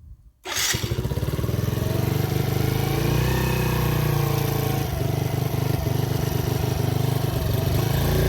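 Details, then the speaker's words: Mini ATV with Mikuni carb, hard-starting fixed by adjusting throttle taper pin and backing out idle screw; small single runs with quick steady popping, throttle from quarter to full open with clean pickup; normal throttle response. "bit and it has a full range on the throttle so I'm about a maybe a quarter of the way open now and here's all the way"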